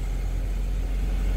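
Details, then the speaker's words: 2002 Honda Civic, 215,000, after replacing the fuel pump with a junkyard unit to cure years of hesitation, stalling and no-crank: starts right up into a low steady even idle with no stumble or hunting, fuel delivery healthy. "started right up the way it's supposed to it wasn't doing that before"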